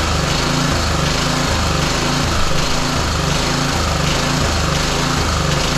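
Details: Roadside-salvaged small lawn mower engine for the Tommy Gun mini bike, started after choke on then off; it runs rough, surging with a lumpy, pulsing beat a little over once a second and won't settle smoothly. The old spark plug is then pulled.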